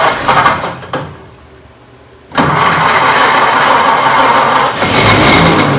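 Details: 1926 Oakland engine first fired up after 75 years off the road, water pump checked just before: short cranking burst, quiet gap, then it catches and settles into a steady, even run.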